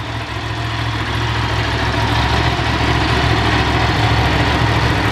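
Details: Ducati 750 SS Super Sport, 750cc air and oil cooled V-twin, about 65 hp, three owners, freshly serviced with new plugs, filters and cam belts: deep steady twin beat holding evenly, no ticks, rattles or misfires; normal idle.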